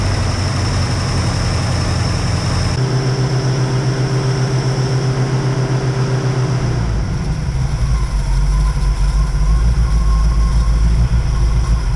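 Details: 1969 Ford Mustang carbureted V8, first start after fuel issue, gas just added: fires and holds a fast raised idle that never drops; hand-choking failed.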